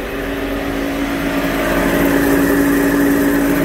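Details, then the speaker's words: Subaru on the lift in gear, rear wheel bearing spun up slowly: steady low droning roar that swells with speed, very loud; no play felt with wheels off; right-rear definitely suspected, some noise also heard from the other side, possibly transferred. "that wheel bearing is loud great I got pair of bed wheel bearings I have to do the uh"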